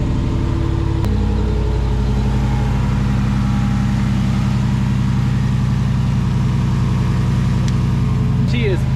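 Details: Jeep JK Wrangler with a Hemi swap, after the starter was replaced to fix a no-start and the battery was thought drained by repeated cranking: loud, steady, deep idle holding even with no misses or grinding, so it runs normally.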